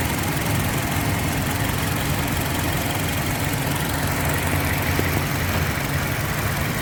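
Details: 2007 Toyota (Yaris) idling with the AC load on, after the faulty ignition coil was replaced with the customer's old spare coil. Steady, even idle with no stumble, hunting or misfire beat. The earlier jerking and hunting are gone.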